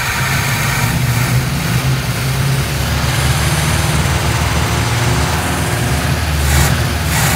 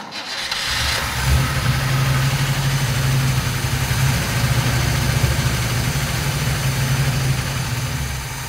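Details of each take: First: 1957 GMC 100 pickup old six-cylinder after sitting many years, feared seized from low oil, cranked slowly: low, fairly even rumble while running and revving, no knocking heard; judged a good engine, normal running. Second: 1957 GMC 100 pickup engine first start after sitting many years, fuel poured into carburetor bowl with no fuel line: uneven, stumbling beats and wavering pitch; sounds worn out with some blow-by from valve cover vent, but runs.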